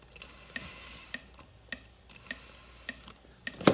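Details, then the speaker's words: AED/CPR trainer connected during home CPR class: sharp, evenly spaced clicks about every 0.6 seconds after a shock is delivered, a metronome pacing chest compressions and signalling when to stop for two breaths after 30; working normally. "do you hear that clicking sound yeah that's telling me the rhythm to go up and it's gonna tell me when to stop again"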